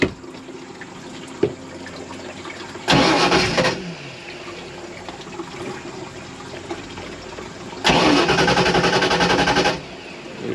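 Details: 1986 Shamrock 20 boat, Ford 302 V8 not started in 3 years: two bursts of steady cranking, about three then two seconds, starter spinning freely, no firing; fuel starvation suspected, not confirmed.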